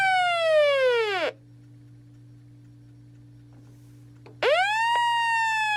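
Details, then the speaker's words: Realistic Weatheradio Alert III model 12-140 that never worked correctly and receives nothing: loud, harsh, distorted falling siren-like alert sweep that cuts off and restarts after about three seconds of hum; suspected faulty alert circuit. "I don't even know if that's supposed to be normal but that sounds awful"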